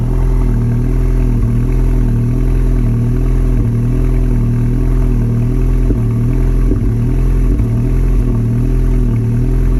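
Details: 2019 MK7 GLI with Stage 2 ECU/DSG tune, catted downpipe, intake, intercooler and DV+. At startup it revs to 1900–2000 and settles at 1100; when nearly warm the idle surges up and down about once a second. Cause unknown.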